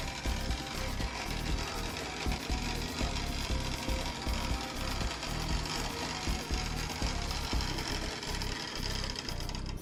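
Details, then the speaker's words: Lima OO-gauge class 73 model locomotive (73129 City of Winchester) on first test run before servicing; rough, gritty buzz with uneven chattering instead of smooth motor hum, a grinding gear mechanism needing a full service. "so by the sound of it she could definitely uh benefit from the oneoff Lemma service that I usually do"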